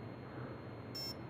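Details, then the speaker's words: Align helicopter ESC powered at low throttle on receiver throttle channel, motor out of helicopter: single short high beep, the arming sound, meaning ESC is armed and ready to run. "okay so that's the arming sound so it tells me I'm in first second mode I've got two beefs"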